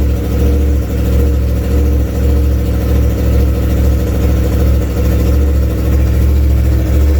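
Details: 2016 Yamaha R1 misfire diagnosis with a multimeter back-probed into injector 4; steady low drone with irregular brief dips and stumbles every second or so, one cylinder missing.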